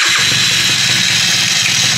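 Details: Yamaha F1ZR two-stroke right after starting, with the newly installed alarm system. Steady, even buzzy idle that holds without stumbling or dying; running normally.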